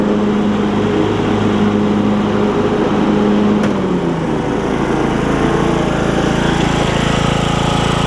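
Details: Briggs and Stratton single-cylinder riding mower engine with new HiPA carburetor, blades engaged for testing: even, steady drone under blade load with no misses, surging or hunting; normal running with the deck engaged.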